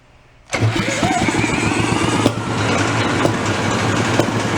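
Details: Antique two-stroke inboard marine engine, sat 35 years and non-running, spun over with a drill: about four uneven compression chuffs a second but it never catches; cranks without starting, fuel system suspected.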